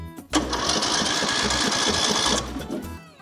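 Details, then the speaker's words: Craftsman LT3000 riding mower with Briggs & Stratton single-cylinder engine, on a fresh battery with no fuel yet: brisk even cranking with steady compression pulses. Normal cranking. "Sweet, sounds good."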